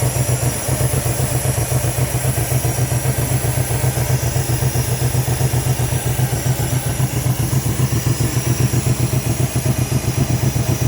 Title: L322 4.4 V8 random misfire due to coil packs 3 & 7 faulty ,